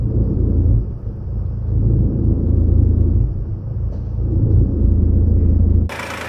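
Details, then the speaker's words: 2009 Mercedes E 220 CDI (125 kW, 152,000 km) with loud drone mainly when accelerating: deep heavy drone low under the car swelling and fading with throttle; gearbox mount found sagging and very soft, letting vibration through. "das ist auch total weich hier und dann gibt's diese unglaubliche Vibration"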